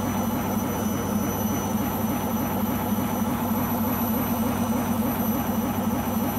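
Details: Beko washing machine on its last legs, loud steady roar with a throb about three times a second during spin from the drum area; owner suspects the rubber behind the drum, cause unconfirmed.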